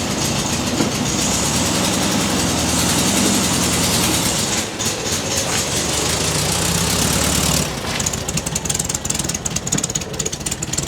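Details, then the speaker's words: 1969 VW Beetle revived after 25+ years unrun, distributor rotor now installed: steady chuffing idle beat holding even, then pulling away cleanly; healthy engine, normal idle. "Look at that run now, wow. That is running like it was fired up yesterday. I'd move that bug. That's unreal, starts right up. So good."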